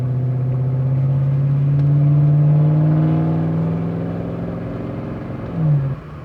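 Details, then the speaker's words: 1999 Jaguar XK V8, fired straight up after a crank no-start fix and not driven for a while, on a test drive: deep steady rumble pulling under throttle, loud angry exhaust, even firing, engine running normally. "key into the ignition yep straight away it fired up and then drive like that I'm just going to take it for a little spin just make sure that everything works listen to it it's pretty angry sounding"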